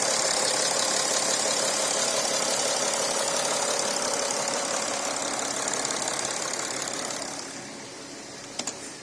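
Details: Porsche Cayenne Diesel first start-up after coolant leak repairs and reassembly: even, fast diesel clatter at idle with steady rhythm and no stumbles; healthy idle.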